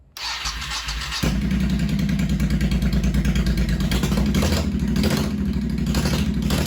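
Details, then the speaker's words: 1985 Honda VT1100 Shadow, first fire-up in 25 years, fresh oil with the old filter, no mufflers, enricher off, idle bumped up and carbs not yet balanced. Loud open-pipe lumpy idle with uneven pulses but steady. Rough idle from unbalanced carbs. "That's not too bad. That's with the enricher off, and just the idle I had bumped up apparently when I was doing the carbs, and they're not even balanced yet. And she's running pretty damn good."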